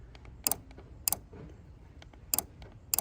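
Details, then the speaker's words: 2004-2009 Mazda 3 horn relay plugged into the fuse box and triggered with the lock button: sharp crisp double clicks show the relay switches normally; the horn fault is a shorted, corroded wire after the relay. "So, that clicking there is what you're looking for."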